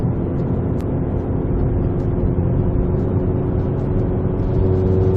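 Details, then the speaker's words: VW GTI APR Stage 2 with APR downpipe and otherwise factory exhaust, before Vibrant resonator fitted; cabin recording, gentle acceleration with windows up; deep droning hum building between 2800 and 3500 rpm, exhaust drone. "So then I take it for a drive and I immediately hear the drone between 2800 rpm and 3500 rpm."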